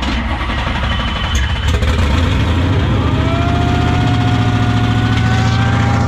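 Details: 1968 Dodge Charger with a Hellcat supercharged V8 swap, first start after hooking up a missing ground strap and priming fuel: catches and settles into a steady, even idle with a rising supercharger whine.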